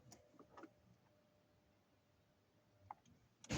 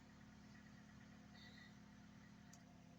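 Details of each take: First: Ford Focus III (also fitted with gas/LPG) with a pressure gauge on the fuel line: starter cranks steadily about three seconds but never fires; spark present, fuel pressure stays below 1 bar, so the in-tank fuel pump assembly is replaced. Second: Ford Focus III that cranked but wouldn't start (wet plug, spark present, won't start on gas either) now running after the fuel pressure was confirmed holding about 3 bar; quiet, smooth idle, no knocks or misses, no warning lights; normal idle.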